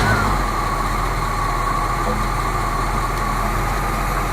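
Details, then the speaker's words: 1970 Buick Riviera 455 V8 at its first start after restoration, charging at 14.3 V. It idles with a low, uneven chug under a faint whine, running lean and stumbling because it has no fuel; a fuel pump is needed. "oh yeah we need fuel pump - I was wondering why it's chugging why is it chugging because it has no fuel"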